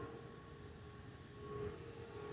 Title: Delta Airlines Airbus A320-212 N353NW DL2746 DFW-DTW (FOPP Whistling Sound)